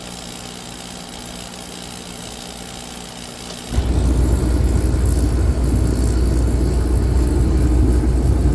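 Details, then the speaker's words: Shop torpedo/radiant heater with E1 code that wouldn't stay running when cold, after turning the adjustment about half a turn: quiet then sudden deep steady roar without surging, much more consistent fire; normal steady running. "We got a lot more consistent fire going now."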